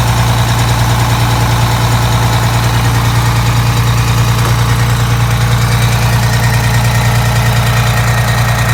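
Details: Detroit Diesel 6V92TA two-stroke after installing Jake brakes on the passenger side, test run: deep steady drone, even low throb about two and a half beats a second, no knocks; normal idle, successful test.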